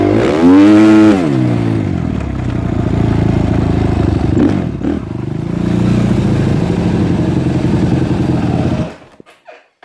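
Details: Suzuki RMZ 250 dirt bike after no-start fix: a mismatched cam apparently from a different bike likely prevented the timing marks lining up; now throttle blip then even, steady single-cylinder four-stroke run, no knocking, clean shutdown; bike runs normally.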